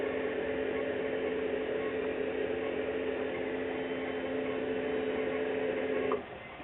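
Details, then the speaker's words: Toyota Prius coolant heat storage system: steady, even low electric hum with a few fixed tones, cutting off cleanly as the pump moves hot engine coolant into the insulated thermal tank (about 1.3 or 3 liters, uncertain); normal operation. "quiet just then that sound I want to explain it to you that was the sound of I think it's a 1.3 or a 3 liter I can't remember how big it is a thermal tank it's a thermally insulated coolant tank and it pumps a hot engine temperature coolant into it"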